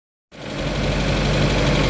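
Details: 1993 Geo Tracker engine at idle: dull, fast tapping knock under the low rumble that sounds like possible rod knock, not confirmed; owner seeking opinions before pulling the motor.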